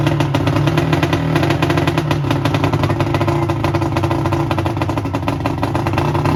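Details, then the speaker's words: 1990 Johnson 130 hp two-stroke outboard, seized and sat 10 years, first run: loud crackling run and rev with a rattly edge; carb bowls empty, fuel pump not pumping fuel, low tank fuel, fuel leaking. Loud running. "wait Dad can you do it again cuz I want to see how like loud it is"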